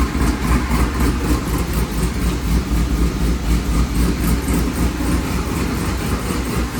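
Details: C5 running after a torque tube rebuild, new clutch, rear main seal, billet oil diverter, gaskets and CV axle seals: a deep, steady V8 idle with an even low pulse, nothing knocking or slipping; the engine sounds healthy.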